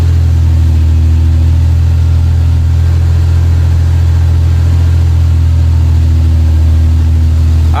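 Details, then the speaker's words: 1996 Lexus SC300 manual, 2JZ-GE, after plugging a connector back in under the manifold and adding fresh gas: started on first turn with slight hesitation, then a steady low even idle without stumbles or hunting; healthy engine. "it did have a slight hesitation on the start there but as you guys can see it started right up on the first turn"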